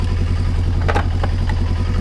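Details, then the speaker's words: Kawasaki ZXR750 H1 four-cylinder, cold, just started after carb cleaning, not on choke, before balancing: uneven, lumpy, stumbling idle with some clatter; rough idle from unbalanced carburettors. "Okay, it sounds terrible just listening to it right now. But it starts."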